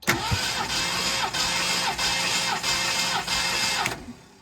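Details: 1969 Mercury Cougar XR7 convertible V8 compression test, throttle held open, cylinder 8: starter cranks about four seconds with an even pulsing beat around 3.5 per second; reads 160 psi, normal cranking.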